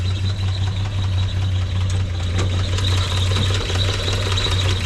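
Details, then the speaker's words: 1946 Chevrolet truck after cleaning the carburetor and flushing the tank, started by the starter button. Steady, even low idle with a smooth hum and no knocks or misses, like a sewing machine; it doesn't die. "you can hear it sounds good runs like a little sewing machine idle's good doesn't die"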